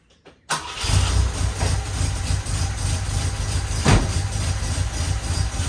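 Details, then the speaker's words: 1967 Volvo 122 Amazon, first start after fitting 2-inch sport exhaust: lumpy idle, faint puffing tick on the exhaust note; smaller exhaust leak remains, much quieter than before, smells a little lean. "A little bit of an exhaust leak. It smells a little lean. It sounds pretty good. Much quieter than before. Still have an exhaust leak. Just not as bad."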